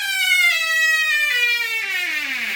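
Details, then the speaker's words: Squeaky door: loud, drawn-out creak falling in pitch as the door swings, from misaligned hinges rubbing metal on metal. "sounds like it's out of a horror movie this one"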